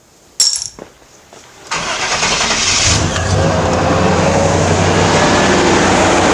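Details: 1989 Chevy K1500 Silverado after starter removal and replacement. A quick clean crank, then the engine catches at once and settles into a steady, even idle with no tapping; a healthy start.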